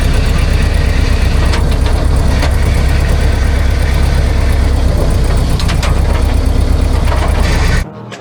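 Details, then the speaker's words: Old 351 V8 in off-road Dodge Dart, already rod-knocking with a spun bearing, run with throttle zip-tied until the oil drained: heavy rough pounding at high revs, then sudden dead stop, smoke from breather; engine seized from oil starvation. "I think she just seized. Yeah, it sounds like it. It just kind of gave the ghost. Oh yeah, it's smoking out the breather right there."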